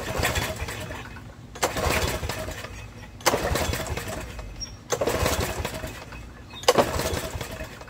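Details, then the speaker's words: Snapper riding mower no-start, choke on, carb spray tried: four recoil pulls turning over without a single fire; carburetor later found full of fuel. "Put the choke on. Usually on the fourth pull. And I'm getting absolutely nothing."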